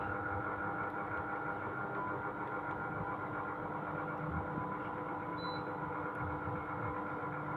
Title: (GREE OEM) SHARP AH A5UCY AIR CONDITIONER [NOISY]